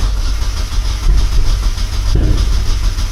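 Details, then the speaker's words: Turbo Mazda Miata, parked a while in cold January weather, cold start not fully tuned, after a flood clear: deep, low churning drone of cranking without catching or firing. "Yeah, it's not trying at all. Oh, I'm going to kill this battery, dude."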